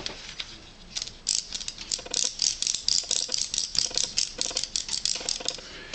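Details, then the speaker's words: Blitz RC Works Rogue 500 RC helicopter after a minor crash: the right front aileron/pitch servo is stripped, with light uneven clicking as it is turned by hand, as gear teeth skip, unlike the smooth servo on the other side. "um it's obvious it's stripped you can hear this little clicking"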